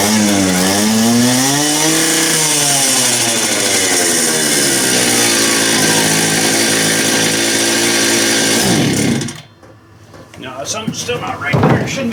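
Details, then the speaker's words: Stihl TS400 cut-off saw two-stroke after ultrasonic carb cleaning, low-speed screw set about three turns out, owner unsure of tune: wavers and bogs on throttle transitions, then strong high scream; suspected fuel/mixture hesitation between idle and high speed. "so yeah something still not good on that high speed side but then when it spools up it runs good and strong so it's something between that [Music] transition"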